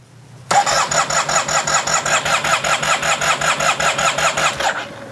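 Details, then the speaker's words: Yamaha TMAX scooter with ignition reinstalled and gas added: steady starter cranking at two to three pulses a second, with one brief firing kick, but it won't start. Owner suspects an air leak or fuel not reaching the engine. "it does not want to start I hear the uh oh that was a kick that was good it fired a little bit"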